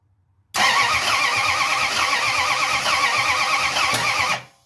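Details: 1971 Plymouth Satellite Wagon replacement engine, exhaust not fully attached, first start attempt: steady whirring crank nearly four seconds with one brief cough, no catch; ignition timing suspected. Cause not confirmed.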